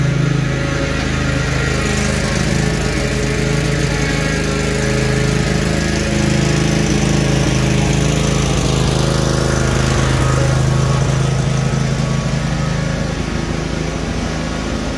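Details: Cub Cadet RZT-50 zero-turn mower engine after crankshaft seal replacement and new aftermarket carburetor (original freeze-damaged): steady even low drone at constant speed, no misses or knocks; running normally.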